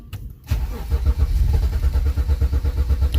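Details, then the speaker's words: BMW crank no start: quick, even starter cranking that never fires; the DME computer apparently is not sending the injector ground signal, so injectors get no fuel. "todo indica que es la computadora que no quiere mandarle la señal a Los inyectores eso es un lío"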